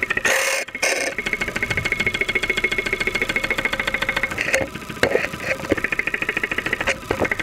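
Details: 2001 Saturn SL2 at idle, stethoscope microphone close to the block, after being run with very low oil; not run for two months, oil pressure about 35-40 psi. Rapid, regular, sharp knocking, several a second; internal knock suspected, not confirmed.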